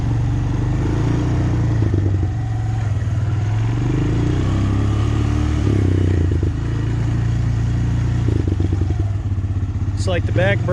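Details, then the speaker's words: Abandoned Honda Recon ATV, recently revived, running before front master cylinder replacement: steady low single-cylinder thump at even pace, a little chassis clatter, no misses or knocks; running pretty good. "it's running pretty good"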